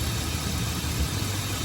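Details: 2014 Ford F-150 3.7L, after replacing the starter, fuel pump and a sensor to fix an intermittent no-start: a low, steady idle rumble with even firing and no knocks, ticks or stumbles.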